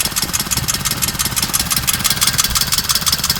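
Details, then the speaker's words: Suzuki Alto 800cc petrol engine at idle: uneven, stumbling beat from a cylinder misfire, investigated as injector-related by unplugging injector connectors. "such a way you can hear that you have a misfa in this engine"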